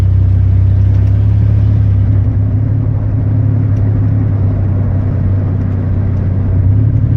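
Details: Chevy 4.3 V6: a deep, lumpy rumble with an uneven beat and no steady rhythm; the engine stumbles like a misfiring cylinder.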